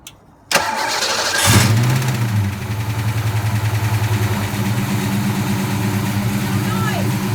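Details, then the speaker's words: 1989 Mustang LX 5.0 with the accessory belt removed: it cranks, catches and settles to an even idle with no squeal or grind. The terrible noise is gone, so the alternator was the cause. "It's the alternator, no belt, no noise."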